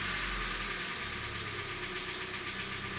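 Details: 2013 Hyundai Elantra 1.8 G4NB, US import, about 86,951 mileage units: harsh busy idle with an uneven dull knock about four per second under the running noise; piston knock suspected, with wrist pin, crankshaft or hydraulic lifter also considered.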